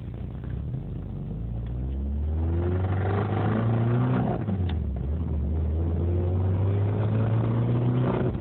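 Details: Isuzu 1.8 engine rod knock: as revs rise, a dull, deep rhythmic knock of roughly four per second runs underneath, typical of a worn rod bearing.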